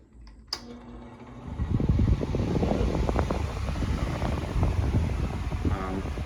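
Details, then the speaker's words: Replacement ceiling fan, cleaned and no longer greasy or sticky; its bearing seemed looser and it now works better than before. A click, then airflow builds to a steady hum with no rattle or bearing growl, running normally. "It seems to be working better than it was before. The bearing seemed more loose on it."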